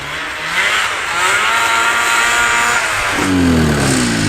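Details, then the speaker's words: Vintage Yamaha snowmobile revived after sitting in the woods, being ridden: engine revs climb and hang high in uneven surges while the sled barely pulls; clutch suspected too worn out, poor clutch engagement, not confirmed. "Yeah, I hear really bad clutching issues. H Okay. Well, we might have to do some clutch work."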